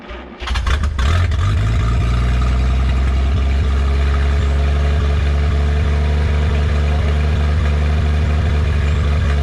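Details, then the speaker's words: 1951 Studebaker Champion on its first run in 35 years, with a rebuilt carburetor, new fuel pump and 6-volt battery: deep, steady rumble with an even low pulse as the driveline spins in gear; the whine was the transmission turning, so it works. "it's already spinning that's what we're hearing you must have had it in gear so it works [Music] yeah I guess that's what the whining noise was the transmission was actually going"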